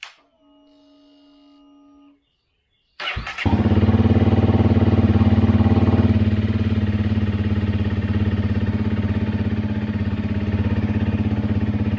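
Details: 2017 Honda CRF250L after new cam chain tensioner and oil change: single fires up and settles into an even, steady thump around 210 per minute with no ticking or rattle; normal idle.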